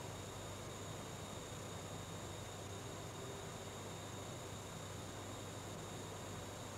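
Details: GIGABYTE GeForce GTX 1070 graphics card: steady high-pitched whistle with several thin tones over a low hiss; the chokes are singing, coil whine.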